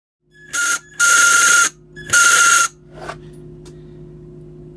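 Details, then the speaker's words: Traxxas RC car motor in short bursts: harsh rattling buzz with shrill whine; car runs slow and motor gets very hot because the worn bushing lets the shaft wobble, not a motor fault. "so the problem here actually is not in your motor it's on the bushing what happens is the bushing wears out"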